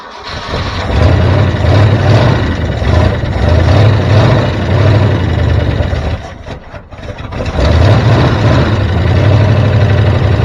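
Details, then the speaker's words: 1973 Ford F350 dump truck, carbureted, choke held open with a wire, just started: slow, loping, somewhat uneven idle; idle speed set too low, owner suspects a vacuum leak. "sounds like you got the idle set a little low so maybe we'll fle with that"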